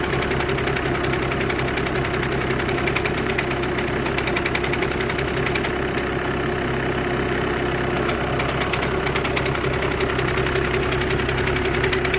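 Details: VW 2008-2014 with a DSG gearbox at even idle with a constant buzzing rattle underneath that does not change with speed; clutch plate or bearing vibration is suspected, not confirmed.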